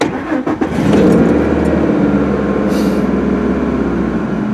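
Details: 2003 Ford F-150 4.2L V6 after new fuel pump replaced intermittent crank-no-start, fuel pressure 34-36 key-on, about 29-30 running: cranks briefly, catches within a second and runs steady and even; fuel delivery and pump amperage check out.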